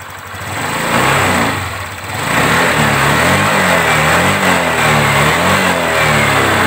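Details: Honda Vario 125 New scooter after fixing rough "tek tek" noise at idle and throttle-off by adding about 2 mm brass weld to the cam chain tensioner lifter tip: smooth idle, throttle blip, settles evenly, no ticking; normal, like new.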